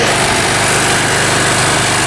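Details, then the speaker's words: Mountfield M3 lawnmower just started after refuelling: small engine buzzing at a fast, even idle with no misses; idling a little fast, owner plans to let it run a minute before turning it down; a cable appears missing. "A little fast. Maybe we should let it run for a minute or so before turning it down."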